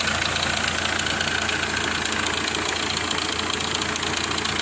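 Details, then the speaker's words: Hyundai i20 diesel engine at a steady idle with a sharp, hard ticking knock about three or four times per second, attributed to a knocking injector nozzle. "I-20 diesel engine. Nozzle knocking."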